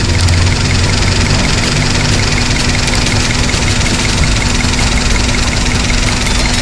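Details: Daihatsu Sirion with rough idle and check engine light, error not detected by scanner; loud low idle with lumpy uneven beat, sounds like misfire; ECM malfunction suspected.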